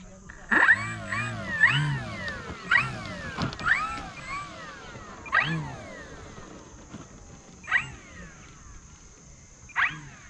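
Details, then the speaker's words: E-Flite Turbo Timber 1.5 RC plane, motor under throttle; whine surges and drops in uneven bursts about a second apart, then cuts out as the motor goes out of sync, ESC suspected faulty. "It's going out of sync. It just went like a type noise and then went out."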